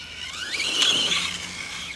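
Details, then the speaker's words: Axial Ryft RC with Hobbywing AXE 3300 R2 and low gear: on a hard launch in second gear the motor whine climbs sharply, then cuts out suddenly as the ESC trips on over-current. "okay the esc just amped out the esc just gave up on that launch right there whew that was all it had so that launch in second gear the esc literally like almost shut down"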